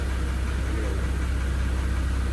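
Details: 2017 Porsche Cayenne 3.6 biturbo, 177,000 km mostly city driving, idling after ZM 5W-40 oil and ArmActiv additive were added: deep, steady idle with a faint regular tap; the knock disappeared, then came back intermittently; cause not found.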